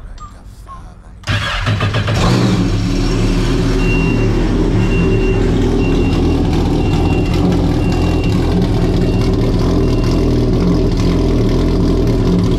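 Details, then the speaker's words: 2021 Yamaha RXP-X 300 Stage 3 jet ski, first start after valve spring and retainer replacement, oil primed to supercharger, intercooler parts off: catches after short crank, strong steady even idle, fuel beeper chirping above; sounds healthy. "so yo that thing sounds rowdy man"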